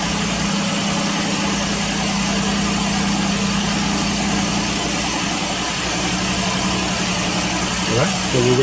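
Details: 2017 Ford Explorer Police Interceptor Utility, cold idle right after new spark plugs and coil boots were fitted. Steady, even hum with no misses or knocks; revs lift a little near the end (idle spiked) as it warms. Running normally.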